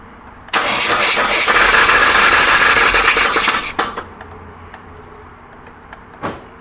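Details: Jump-started engine that won't start, keys cycled to prime fuel, gas smell noted: starter churns steadily about three seconds at a quick even beat, then stops without the engine firing; cranks but no start.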